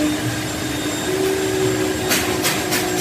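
Steady high motor whir with constant pitch and even level, no surging or catching; the extractor vacuum motor sounds like it's running normally.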